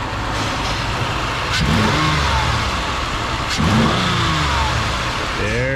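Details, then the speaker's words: 2008 Ford Escape 3.0 V6, about 300k miles, after repair; two clean revs rising and falling smoothly back to even idle, no misfire stumble, cylinder contribution fault gone: running well. "engine on now ah it's live beautiful not only is it alive it's running well even more beautiful"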